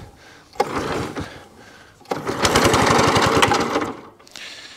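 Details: Cylinder lawnmower on choke with bursts of revs: small engine catches and runs with a quick, steady chatter, and the cylinder turns; it runs fine, though the cable is broken and won't retract.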